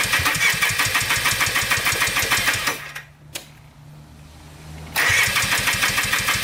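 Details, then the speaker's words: Polaris Trailblazer 250 2x4 two-stroke quad before top-end rebuild: uneven popping note that nearly dies then catches; owner suspects low compression from burnt-out rings, runs inconsistently, won't stay running or restart. "this is a two-stroke quad and as you saw it's not running right i feel like it's long compression i feel like the rings are maybe burnt out on it and um it's just not staying running it's running inconsistently"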